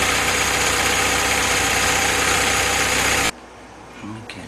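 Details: Willys CJ2A L-head 134 engine on a test stand with T90 transmission, Dana 18 and overdrive, new carburetor, being brought up to temperature before setting carb and timing: loud, steady, even idle with no knocks or misses, then shuts off cleanly; healthy engine.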